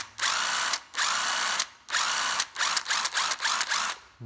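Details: Hitachi cordless drill: short trigger bursts, each spinning up fast to a strong, even high whine with no grinding or slipping; runs strong, healthy.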